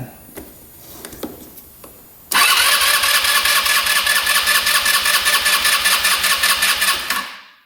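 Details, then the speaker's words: Scooter with 11,110 miles, sat a couple of years, non-running: compression test cranking with throttle held open, strong even chuffs; reads about 145–150 psi, great compression and spark, so owner suspects carb issue or tight intake valve. "Oh yeah, that is really good. 150, almost 150, like 145. Wow. So great compression, great spark."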